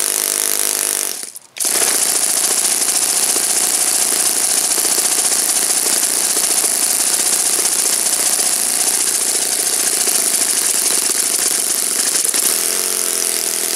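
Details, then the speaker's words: Saito FA-56 four-stroke glow engine, moderate-time, first run after teardown, cleaning and bearing replacement, 12x6 prop, OS F plug, Omega 5% fuel, tuning and static thrust run: high, even buzzing drone at steady speed, no stumbles or sag; normal, strong running. "I tore it down, cleaned it up, replaced the bearings. It's a looks like a relatively moderate time engine. As you can see, it runs like a champ."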